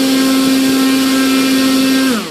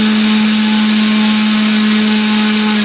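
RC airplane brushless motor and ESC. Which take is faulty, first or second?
first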